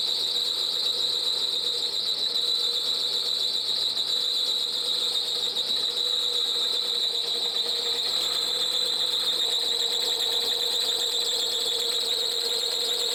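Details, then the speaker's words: High-mileage Alfa Romeo with no compression, just after first start: steady, piercing high squeal with no rhythm. Suspected auxiliary drive belt tensioner rather than the timing belt, not confirmed; coolant wetness seen below. "Where's the squealing coming from? Please tell me it's the alternator belt and know the timing belt."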